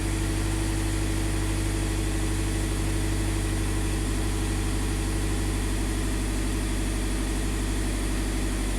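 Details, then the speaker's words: 2015 Scion FR-S 2.0L boxer, warming up after the bank 1 intake cam solenoid was swapped for a new one. Steady, even idle with no stumble; bank 1 intake cam timing now holds. "Okay. So bank 1 intake is now happy."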